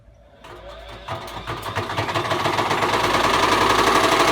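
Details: Bosch Classic 6 1200 Express washing machine hot-wired to the motor via variac, top ballast removed, objects inside: starts quiet, builds to rising thumping clatter about four beats a second as it speeds up; machine gradually tearing itself apart, drum suspected breaking loose.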